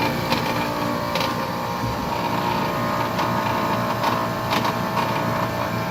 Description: Zip tie solenoid which is vibrating inside of unit. Located next to control board.